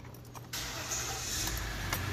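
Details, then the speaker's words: 2016 Ram 1500 EcoDiesel that had been no-crank/no-start: the diesel catches right away and settles into an even, steady run. The dash warns the engine will not restart in 105 miles and to service DEF; the key still won't come out. Normal start. "starts up you can hear it running it says engine will not restart a 105 mile service death c dealer so we can shift it"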